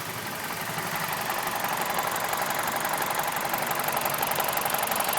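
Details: BMW E46 with N42 engine idling, recorded up close with the MAF unplugged. Uneven, lumpy beat of about four pulses a second under busy top-end clatter. Rough idle persists even with the MAF disconnected.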